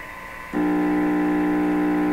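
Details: Viking EMU61 tube radio with a steady low buzzing hum through the speaker, heard while tracing possible causes with a signal tracer around the rectifier diode and power-supply resistor. Cause not confirmed.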